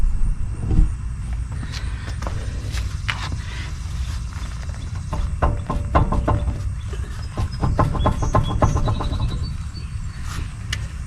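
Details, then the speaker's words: 4WD truck raised on jack stands, front wheel rocked by hand: loose, uneven knocking clunks from slop in a worn front wheel bearing/hub; unsafe to drive, needs replacing. "i'm gonna wiggle the front wheel so you can actually hear the slop and the bearings how it's loose so it's definitely not safe to drive needs replacing"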